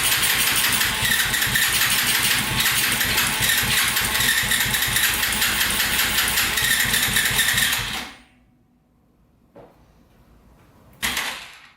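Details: Yamaha TTR230 single, first run after oil fill and carburetor float repair: fast, uneven beat with sharp pops for several seconds before shutting off; owner suspected exhaust leak, cause was an intake air leak.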